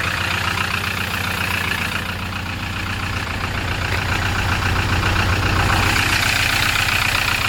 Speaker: Слышно, наверное, как он стучит. Вот, блин, такой треск раздается постоянно.